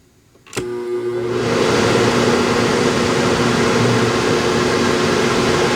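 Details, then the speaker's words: Livowalny 200 W power inverter on a 20 V DC supply running a fan at about 163 W: a click, then the fan spins up to a steady rush of air with a clear hum from the fan motor. Owner guesses the fan's speed control is involved, unconfirmed. "now I don't know if you could hear that but that fan motor has a bit of a hum to it"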